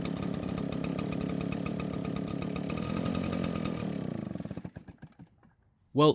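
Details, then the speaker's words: Garage-sale Redmax backpack leaf blower, small two-stroke of unknown history, primer bulb working: buzzes evenly about four seconds then sputters, misses and dies; suspected cold-natured or needing more fuel, spark arrestor screen checked and found clean. "it died so it's either cold natured or it needs more fuel another thing that could cause this is if the spark arrestor screen is clogged with carbon"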